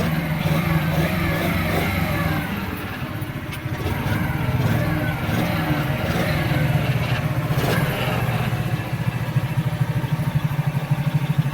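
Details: Kazuma Meerkat Chinese quad, small single-cylinder with Japanese carburetor, warm, idle screw being raised slightly: puttering at a slightly raised idle without dying or surging, decent throttle response; normal idle.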